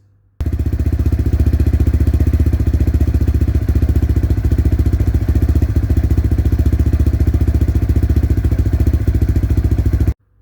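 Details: Lexmoto LXR 125 with about 300 miles, on a paddock stand in first gear with the rear wheel spinning: steady engine beat near 220 a minute with a light regular clatter from the drive side. Rear sprocket seen moving abnormally; suspected, not confirmed.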